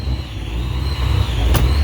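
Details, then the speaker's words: Supercharged Saleen Mustang V8 on first cold start after reassembly, untuned with a blind tune, running rich at 12–14 in vacuum on cold enrichment: deep, uneven idle with a steady high supercharger whine. "You can hear the whine from the supercharger. And it's not smooth idle. I have to, like I said, I have to fix the tune."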